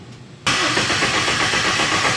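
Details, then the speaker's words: First start attempt of a Honda K-series engine swapped into a Nissan S14 with a Link ECU: steady starter whir, never fires; crank no start because the wiring was pinned for a K24 crank sensor but a K21 sensor was fitted. "all right well i didn't do it right so give me a second all right so first small issue um i actually had this thing pinned for a k24 crank sensor and i put a k21 in"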